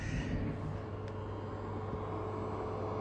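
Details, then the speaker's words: 12 V 40 A LED power supply on a power-monitoring plug, pixels switched off (80 W at full brightness): low, steady hum as its cooling fan keeps running with the load shut off, still drawing 30 W. Normal fan running, adding wear to the supply. "can hear the fan still. So this power supply is consuming power and it's running its fan even though the load is shut off."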